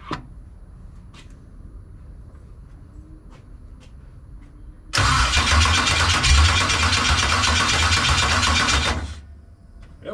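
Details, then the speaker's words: 1989 Chevy box body, first start attempt after build: quiet clicks then about four seconds of loud, uneven cranking with ragged firing attempts that never catch; owner thinks it's getting fuel, unsure if starter, sounds rough and wrong. "sound rough YouTube y'all hear the way that sound man that don't sound right it's getting fuel"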